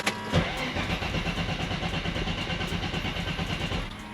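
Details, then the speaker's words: Boosted Nissan Z, throttle bodies reading about two volts instead of four: quick even starter churn for about four seconds that never catches or fires; crank-no-start blamed on a fried ECU, possibly damaged by another fault. "so i'm pretty sure it's gonna do the same thing basically just cranks like it doesn't even try to catch like any kind of feel so let's see what happens"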